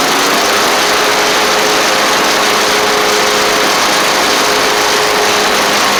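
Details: Troy Bilt Bronco mower with Kohler Courage single-cylinder engine, after starter solenoid replacement, carburetor cleaning, engine tightening and new oil drain plug: steady even buzzing run at constant speed, no misses, knocks or surging. Normal, healthy.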